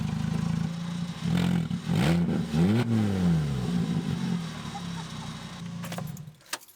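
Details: 2007 VW MK5 Jetta 2.5L with 200,000 miles: a deep, very loud blat swells with each rev and rattles at the rear, effectively straight-piped from the downpipe. Owner suspects the exhaust rusted through and ordered a new clamp. Exhaust leak.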